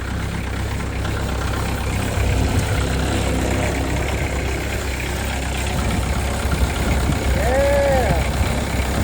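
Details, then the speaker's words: 2006 Peterbilt 379, CAT C15 MXS 650hp, after exhaust repair/bracing: steady even low diesel rumble at idle, no ticks, knocks or exhaust rasp; quiet, healthy idle. "But let's start it up and hear how quiet it's going to be now."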